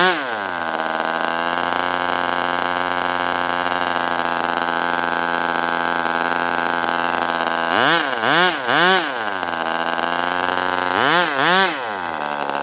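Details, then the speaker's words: Northfield Ross Black Demon 61 model engine, first run with Perry carburetor, about 71°F: steady high buzzing idle, then revs dip and recover in wavering surges; can't hold idle below about 4,000 rpm and dies at low throttle. "So, it's hard to actually find an idle speed, but I'd get it to what I It seemed like the lowest movement and it would still be like 4,000 something and then it would go way down and then just die off."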